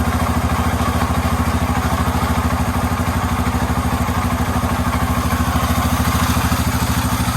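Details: Yamaha Raptor 350 quad after top-end rebuild, first start, plastics and tank off, fed from a battery, Chinese carburetor; steady even thumping idle about 200 beats a minute, no knocks or misses, healthy.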